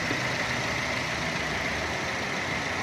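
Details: 2016 Chevrolet Cruze after PCV valve replacement: even, steady idle hum with no whistle or hiss riding over it; the engine idles cleanly and smoothly, the high-pitched whistling fixed.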